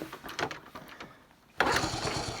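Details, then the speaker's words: 1974 Honda C50, unstarted since July (about 5 months), cold, clutch slips when kicking: scuffing kicks, then a sudden sharp burst of firing that fades at once; brief firing on kick start, won't keep running. "Ooh, saying that though, that actually made contact."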